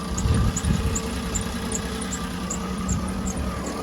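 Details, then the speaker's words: 2009 Cadillac Escalade V8 warming at idle after oil pickup tube replacement, oil pressure now 39-40 psi versus 19-20 before: low even rumble with no knock; healthy idle. "so I'm just going to let it get up the temperature sounds good other than that little jump so we're going to see if it start ticking or not"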